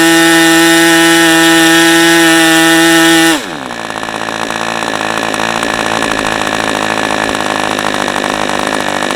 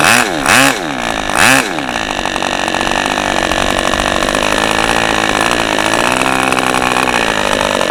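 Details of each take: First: New OS 40 FP glow engine, early version, first run on a stand, 11x5 prop, OS #8 plug, 5% castor/synthetic fuel, after the air bleed was tuned; high steady full-throttle scream, then clean drop to a smooth even idle; runs as expected. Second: OS 40 FP glow engine, first run on a stand, 11x5 prop, OS #8 plug, 5% castor/synthetic fuel, after the air bleed screw was opened and the idle screw adjusted; soft, burbly idle after a couple of blips; low end still slightly rich.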